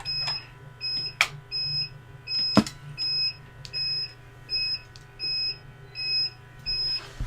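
Steady high double-tone beep, about one every three-quarters of a second, repeating without pause: the UPS warning of a weak battery.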